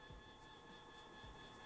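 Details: Stepper motor driven by an A4988 driver from an Arduino in full-step mode (square-wave signal): harsh, steady buzzing whine with sharp overtones, vibration that gets amplified through a 3D printer chassis.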